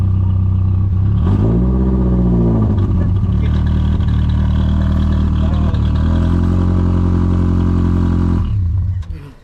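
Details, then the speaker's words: BMW Z3 four-cylinder running with half its exhaust missing (section removed during limited-slip diff axle repair after axle broke drifting): loud, deep, raspy drone rising and falling with revs, far louder than normal. "If you ever wonder what a four cylinder sounding like with no missing half its exhaust, that's what it sounds like."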